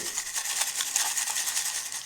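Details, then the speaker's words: A 60 GB 2.5-inch SATA laptop hard drive, previously beaten, is shaken. It gives a dry, hissy maraca-like rattle with no motor, because the platters are smashed to loose dust. "I don't know about y'all, but I don't think hard drives are supposed to sound like that."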